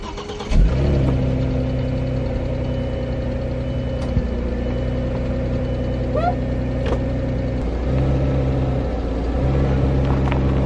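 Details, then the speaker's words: Audi A4 B5, first start after the exhaust was refitted: the engine catches quickly and settles to a steady, even idle with a faint hiss underneath that the owner cannot identify; otherwise a normal start and idle. "it sounds stuck as [ __ ] which is dope so um somebody would want it"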